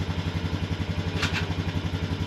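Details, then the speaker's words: Honda Foreman ATV after electric shift motor replacement, idling in gear: steady, even single-cylinder thump with no clunks or grinding; it now shifts much more easily. "Nice, it sounds better. Sounds like it shifts a lot easier."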